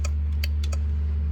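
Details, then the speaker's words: Winch on a Suburban's new rear bumper hitch, powered by the vehicle: cable-in and free spool work, but on power-out a few sharp clicks are heard over a low hum and the drum doesn't turn. Solenoid, relay or controller box suspected; undiagnosed. "But when I go out, you can hear it clicking. Things are activating, but it's not turning."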